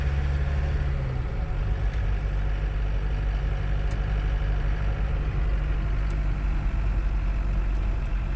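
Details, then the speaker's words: Chevy S-10 pickup swapped to a 54 hp Volkswagen diesel, driving after replacing the broken T5 transmission, engine temperature steady around 170°F: steady low diesel drone with no clunks, grinding or whine; drives fine: normal driving. "Now, despite the Volkswagen diesel engine only having 54 horsepower on a good day, this truck drives fine. It's actually fun to drive, if you can believe that."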